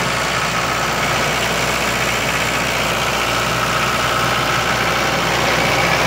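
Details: 1995 Libby MEP-804A 15 kW ex-military generator, 4-cylinder liquid-cooled Isuzu diesel rebuilt in a 2010 reset, 688 hours, new filters and fluids, started cold, governed 1800 rpm: constant steady drone, no knocks or surges, running smoothly.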